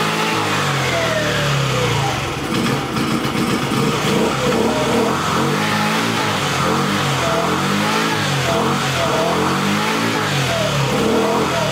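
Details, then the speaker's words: Jin Lun 50cc two-stroke scooter, reluctant to start, air cleaner found wet and suspected flooded, started holding throttle wide open; buzzes and revs unevenly with wandering pitch as it clears. Owner hopes float, needle and seat issue resolves. "I pulled the air cleaner off and it's all wet, so I'm guessing it's flooded. Let me see if I can at least get her started with holding the throttle open wide."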